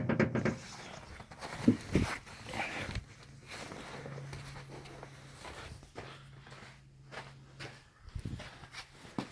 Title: BMW F11 steering strange noise